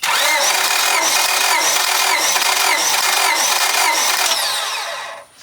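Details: Honda Civic D16 with a persistent misfire, during a compression test: even, rhythmic starter cranking at about four strokes a second with no dropouts. Readings about 180 psi on cylinders 1–2 and 195 on cylinder 4. Normal compression.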